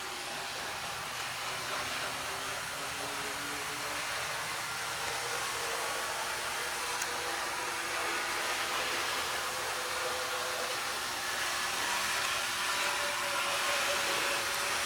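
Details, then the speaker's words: Canadian Pacific 4053 Athearn model locomotive with second generation flywheel and motor, run up to full speed: smooth even motor whir climbing in pitch with no catches or stalls; runs beautifully. "Full speed. Not too bad. Second generation flywheel and motor in that one."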